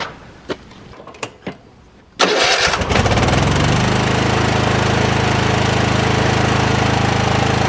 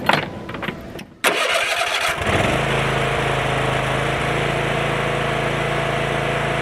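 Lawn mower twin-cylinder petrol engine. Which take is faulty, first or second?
first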